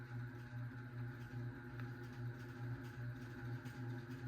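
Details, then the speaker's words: 52-inch unknown-brand bronze hugger ceiling fan (Harbor Breeze brackets, Hunter blades, Patriot Lighting Arthur housing) on medium speed: quiet low hum pulsing about once per revolution; badly wobbling, buzzing fan, cause unknown. "This fan is actually going obnoxiously crazy. Look at that. This fan feels like it's gonna fall down the ceiling."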